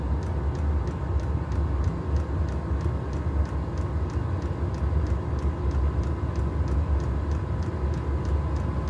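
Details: Chinese diesel heater on trial run, exhaust not bolted on, doors open for ventilation, warming up: steady low roar of combustion with light regular fuel pump ticking about three times a second; normal burner operation.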